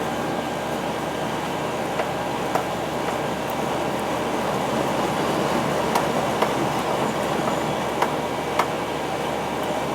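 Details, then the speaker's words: Outdoor R22 AC condenser after a new capacitor was fitted; its fan had been surging before: an even, steady hum and fan rush with no rise and fall in speed; the condenser and fan now run normally. "Nice and sweaty. It's running good. Good."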